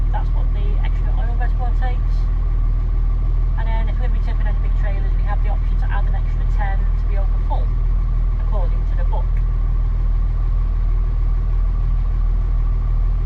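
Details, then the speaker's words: John Deere 6610 Power Quad tractor after 6000-hour transmission service, new springs and hydraulic oil, idling to circulate oil: steady, even diesel idle, smooth low drone, birds chirping, no knocks or misses; oil pressure held. "yeah, we haven't lost any oil pressure. So that's good. I'm happy with that."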